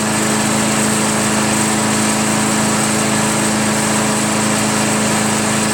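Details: Craftsman chipper shredder flathead engine, just started after head removal, carbon cleanup and a 320-grit sandpaper valve-seat job (intake valve spun freely), runs with a quick, even single-cylinder buzz and no misses or surging; normal running.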